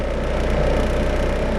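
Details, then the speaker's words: Mitsubishi 4G92 automatic, after repair of hesitation, no idle and misfire (coil, plug leads, airflow sensor): low steady idle drone around 900 rpm with strong even throb under AC load, no stumble; idle firm, though engine mounts shake. "เปิดแอร์ก็ได้ประมาณนี้แล้วครับจะให้นิ่งกว่านี้ก็รู้แล้วครับ"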